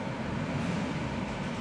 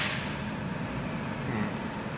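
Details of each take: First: 2016 Hyundai Accent after tightening the alternator belt: hard acceleration with AC on full, high beams on and windows down, steady low roar with no belt squeal; loose belt was the issue. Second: 2016 Hyundai Accent, engine warm on a 90° day, with AC on full, high beams and windows running while accelerating: a brief, faint high belt chirp; loose accessory belt suspected, worse when cold.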